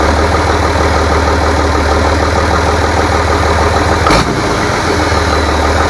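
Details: Rebuilt International DT466 diesel from a loader, previously knocking, first run after priming: even, steady idle with smooth firing and no knocks or tapping; runs clean and healthy.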